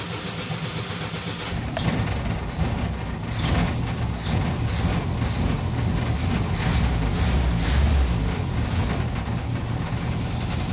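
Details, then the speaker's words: Del Rey carbureted car started after sitting, fuel poured into the carburetor: rough low idle with a light irregular rattle, which is the loose exhaust knocking underneath. "Esse barulhinho é o escapamento solto aqui de baixo, ó. Mas funcionou."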